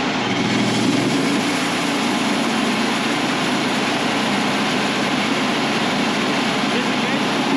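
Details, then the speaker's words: Wood-Mizer LT35 sawmill's 25 hp Kohler twin after carburetor swap (old carb sputtered badly at idle), started cold without choke: steady constant-speed note, no sputter or misses. Normal running after repair. "that right there sounds a world of difference"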